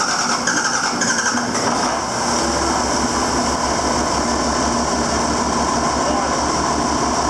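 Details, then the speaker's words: 7410 diesel after an in-frame rebuild, oil primed and injector pump bled: the engine catches and settles into a steady, even idle with a regular low throb and no knocking; a healthy first start. "So she's running. Get that far. We'll just go like so. She sounds good. She sounds good."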